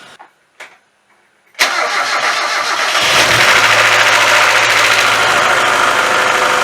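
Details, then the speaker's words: 1996 Mazda Miata MX-5, fitted with individual ignition coils, after sitting broken for a year: short crank, catches, then a lumpy idle with uneven pulse; misfire at idle, likely one cylinder dropping, one coil suspected bad. "Alright, so we're going to figure out which ignition coil is bad."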